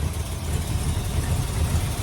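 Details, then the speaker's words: 1962 Chrysler New Yorker, V8, warming but not fully warm, needs tune-up: deep idle with uneven stumbling beat and irregular pulses, still sputtering; fuel filter shows clear fuel, cause unconfirmed. "Because she's just sputtering. And, I mean, even though she's idling a little bit better right now, she's still not fully warmed up yet."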